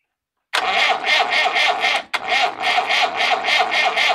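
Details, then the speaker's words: Massey Ferguson 165 diesel tractor after a fuel pump failure dumped the diesel into the crankcase, cranked with two injection lines open for bleeding: sudden start into an uneven, rapid clatter with a brief stumble, then it catches again as air bleeds out. "yep comes diesel i think it started to fire on those ones"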